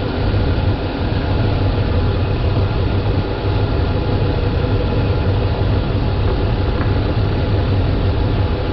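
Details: Dodge Ram 5.7L Hemi V8 (2003 stated, 2010 1500 in description), couple hundred thousand miles, after replacing a leaking power steering pump, idling while wheel turned lock to lock: deep, even idle rumble, no pump whine or groan; normal pump.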